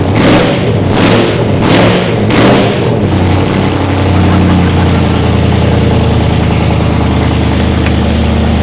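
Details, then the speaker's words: First start of a race-car V8 after fuel pressure and leak checks: quick throttle blips, then steady, even burble without hunting or misfires, no limp mode; healthy idle. "She's responsive. It sounds nuts here. It sounds nuts. Oh, it's just idling perfect."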